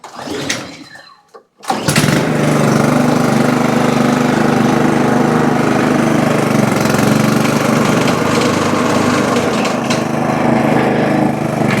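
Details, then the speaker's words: Toro Super Recycler mower with blade brake clutch, running with blade engaged via handle: loud rough clattering knock over the engine, sounding like the blade hitting something; not yet diagnosed. "definitely almost sounds like the Blade's hitting something and who knows maybe it is I haven't really done a whole lot of Diagnostics on it yet"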